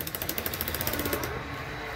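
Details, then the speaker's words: Bachmann Union Pacific F unit model locomotive with a clunking noise in the gear at the back: rapid, even clicking about fourteen per second from the drive, then it stops; a cracked gear catches once per turn. "I know it's it it's a cracked gear sucks but yeah I get it to move again"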